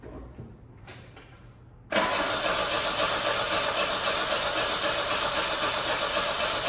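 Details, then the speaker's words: 1987 Volvo 240 GL wagon, first start after sitting an estimated 5+ years, fuel pumps cycled manually and clear gas at the line: brief cranking, then it catches and settles into a steady, even idle with no misfire or knock. "dang that is smooth"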